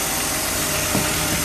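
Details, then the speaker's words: BMW E39 petrol six at steady idle after replacing the number five and the cam sensor and clearing the code; no check engine light, runs evenly with no misses or stumbles, misfire fixed. "So, look like the car is running better after changing number five and cam and the cam sensor. We cleared the code and everything seems to work out good."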